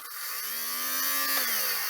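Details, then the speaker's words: Used battery-operated lint shaver for wool and jumpers, running on C-size batteries from a charity shop: small motor spins up to a clean steady buzzing whine, slight rise and fall, no rattle or grinding; running normally. "That sounds all right. I'm not going to run it up my arm. It'll probably pull all the hairs out."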